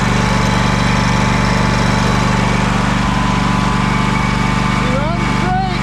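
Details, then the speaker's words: Craftsman DYS4500 riding mower, 26 hp Craftsman Courage engine, revived after sitting over a year; steady even putter with no stumbles, surges or knocks; smoking a little but runs well; normal running, needs new fuel cap and fuel line. "He's smoking a little bit. But hey, she runs pretty good."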